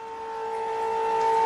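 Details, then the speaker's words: Diesel vehicle with DEF in fuel tank, not started; transfer pump (Raptor) lifted from settled DEF into diesel layer, tone changes to steady clean whine at one pitch, slowly louder; normal pump tone. "But if I lift it up to where it's sucking in diesel, you'll hear the tone of the pump change here in just a second."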